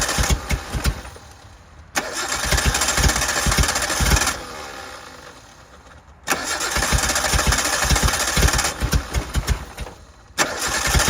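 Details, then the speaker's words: 1988 Suzuki Samurai, parked since late 1990s, gravity-fed from temporary fuel tank: catches and runs in uneven lumpy surges that sag and recover; owner suspects poor fuel delivery, plans raising tank; rough running. "I just think it has a hard time getting fuel into it."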